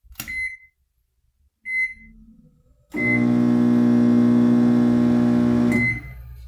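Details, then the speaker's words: Whirlpool microwave briefly run empty after two keypad beeps, giving a loud, harsh, steady hum and not heating; a shorted high-voltage diode overloading the transformer. "la falla que presenta Es que hace ruido y no calienta eso nos indica que puede haber un elemento en corto o dañado"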